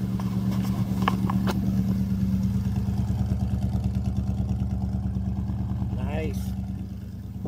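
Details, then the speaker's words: 1964 Pontiac Parisienne during cam break-in, with good rebuilt carburetor replacing faulty one: deep, even exhaust burble at steady idle, no knocks or misses; healthy engine and exhaust. "nice beautiful that's a nice sound to the exhaust"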